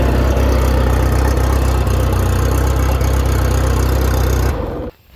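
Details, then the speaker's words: 1989 VIP Vision ski boat with OMC Cobra outdrive, first run in almost five years or more, carburetor adjusted while cranking: steady low rumble with an even beat around four per second until shut off; normal running after long storage. "I'd call that a win cuz she's running today"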